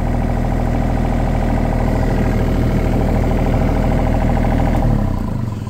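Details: Yanmar ViO35 mini excavator after fixing a shorted wire that dimmed lights and stopped starting; inlet still sucks air, needs sealing: steady, even diesel clatter at idle with no stumbling, winding down cleanly; healthy.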